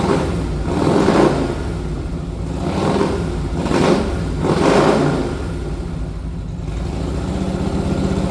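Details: 1961 Harley-Davidson Panhead V-twin, warmed after a ride: revs surge and sag about once a second, stumbling and chugging under throttle, running lean from an intake manifold leak.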